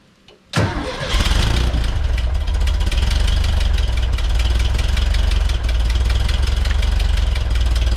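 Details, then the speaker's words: 1967 VW Bus air-cooled engine just fitted with a supercharger kit cranks, catches and idles with a loose puffing rasp from a small exhaust leak, sheet metal off. "it runs uh as you can hear I've got a little exhaust leak I might try and attack that it's right here"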